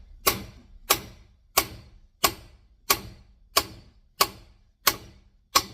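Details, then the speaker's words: Valve seat driven into a Chrysler 4.7 cylinder head with a big hammer, feeling for the bounce that shows it is bottomed; overhitting can crack the head where seat meets casting: sharp ringing blows about every two-thirds second, seat fully bottomed. "Hear that? Hit bottom. Got the X's. We don't want to hit it too much, it'll bust the head in the corner where the seat meets the casting."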